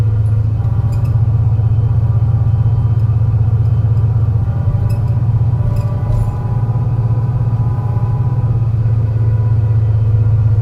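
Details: MAN NL202 CNG bus with ZF Ecomat 5-speed automatic climbing a hilly route under load: heavy, uneven drone with a lumpy, stumbling beat from a bad engine misfire.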